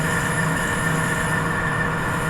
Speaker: So there there you can hear that squeaking there. That's actually chattering on the bottom of the groove. So they don't it doesn't like sitting there.